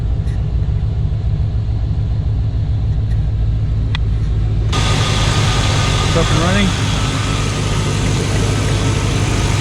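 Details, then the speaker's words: 1995 Chevy Tahoe 2-door 4WD with TBI, not run since 2018, idling under its own power after a new fuel pump was installed and hoses reconnected: steady low rumble, even idle beat, no knocks or misses, hiss later; owner suspects cooling leaks. Normal idle. "okay guys that's gonna be it for this one as you saw in the video i was able to get the tahoe running under its own power which is great"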